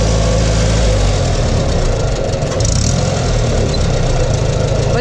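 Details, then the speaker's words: 1962 Farmall 140 tractor, restored after 10+ years sitting in woods, engine loping and stumbling with uneven firing while driven in low gear; spark plug wires were connected to the wrong cylinders, causing the misfire. "how does an engine even run when it's firing the wrong cylinder"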